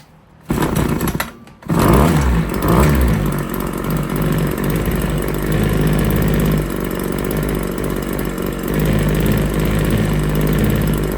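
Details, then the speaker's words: RedMax TRZ230S two-stroke string trimmer, restarted hot; it had been hard starting, running rough and leaking fuel. At wide-open throttle it screams at a steady, very high-pitched buzz. Maximum rpm is way too high; about 8,000 is believed to be the expected maximum. "Let's see the max. Way too high."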